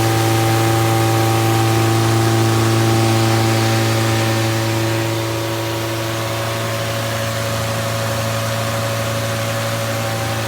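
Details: Fully rebuilt Triumph Spitfire 1500 engine on run test, electric fuel pump, about 1000 rpm idle, oil pressure around 80 falling toward 70 psi, not yet fully hot; smooth regular unmuffled idle, even firing, no knocks or ticks; healthy.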